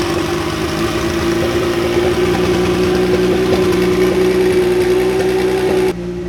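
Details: DeLorean with swapped Kia twin-turbo V6, first run on base map from a previous Kia engine: steady, even idle with smooth whirr, no knocks, misses or hunting; healthy idle.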